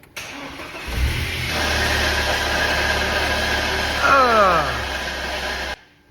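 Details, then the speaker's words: BMW Z3 1.8/1.9 at idle: harsh gritty rattle with falling whine, less when moving, clutch pedal vibrating; worn dual mass flywheel, worn clutch and gearbox input shaft play found, replaced with solid flywheel, clutch kit and gearbox. "Now, we're not going to let that run for too long because, God, that sounds horrible. Now, the noise goes away a little bit when you're moving and grooving. It definitely sounds like it's coming from the clutch."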